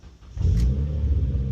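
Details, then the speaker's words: Stage 3 Mitsubishi Evo X GSR on E85 flex fuel with a misfire, fuel pump prime not heard at key-on; quiet cranking, then a long labored catch into an uneven idle, as if not getting fuel; it then runs very rich with the engine light on. "Ahora lo voy a dar a prender. Mira lo que hace, ¿eh? como si no estuvieras recibiendo."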